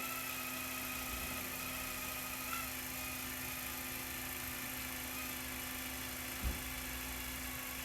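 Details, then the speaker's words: Sony DTC-60ES DAT recorder in for service for slow fast-forward, eject and cueing faults: AMS cue rewind back to the track start gives a faint, steady whir with no catches or wobble; transport rewinding properly. "there goes there it goes back like it's supposed to"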